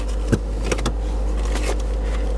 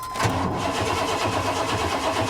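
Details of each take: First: Auction vehicle at IAA Oklahoma City with crash-damaged frame rail and scraped transaxle, completely stock exhaust: after a few brief knocks at start-up, a quiet, steady low rumble with even beat; healthy stock idle, check engine light on. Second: Auction car at IAA Oklahoma City that sat for years with rotten fuel, fuel gauge pegged, owner suspects fuel system problems: cranking with a low dull thump about four times a second under starter noise while building oil pressure; owner suspects engine knock.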